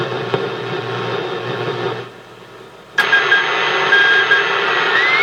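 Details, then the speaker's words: Hammarlund HQ-140-X receiver, reportedly recapped, warmed up and tuned on the 40 m band: speaker hiss broken by intermittent sharp pops and sudden jumps in noise level, amid IF, crystal selectivity and AVC problems. "Now that I turn the camera on, it won't do it, but there it goes. Got a little popping noise in it."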